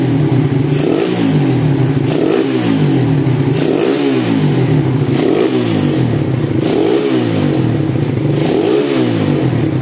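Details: 2014 Suzuki Satria FU with a failed bore-up and jammed kick starter, after full rebuild: repeated quick blips rising cleanly and dropping back to idle. Crisp, responsive throttle and a healthy engine.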